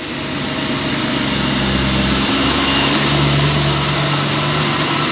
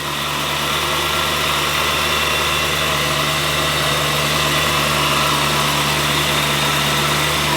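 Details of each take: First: BMW E92 M3 V8 with newly fitted belt-driven HSS supercharger kit, first cold start: steady high whine over smooth idle, climbing slightly as revs settle; supercharger whine. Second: BMW E92 M3 V8 with an HSS supercharger kit just fitted, first cold start: a steady, even idle with a constant high supercharger whine and no misses; it sounds right.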